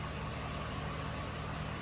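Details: 2006 GMC Sierra 1500 4x4 5.3 L V8 after head gasket failure, bank two sensor one oxygen sensor just replaced, fuel trims reset, now in closed loop: smooth even idle, steady low rumble, no misses or surging.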